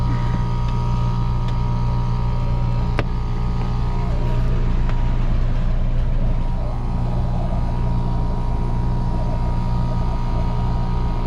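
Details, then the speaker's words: 2018 Trane package AC unit, evaporator coil had frozen solid, coil bypassed; deep steady throbbing drone, blower struggling for return air, suspected unchanged clogged filter or collapsed return, cause of freezing. "yeah that thing's struggling for air which is definitely something that'll cause an evaporator coil to freeze"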